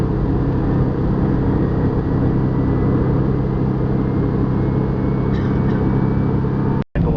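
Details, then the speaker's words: Airbus A320 in flight Madrid–Barcelona, about 15 minutes after takeoff: constant low droning hum over cabin roar from a vibration in one engine resonating through the cabin, while all cockpit parameters read normal; cause unclear. "en principio es una vibración que produce resonancia dentro el avión pero en la cabina de vuelo todos los parámetros son normales"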